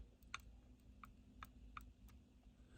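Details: HMV101 gramophone number 59 motor: faint, irregular light clicks under quiet hiss as the governor shaft moves in and out slightly in its adjustable bearing caps; slight end play is normal and the lash was adjusted okay.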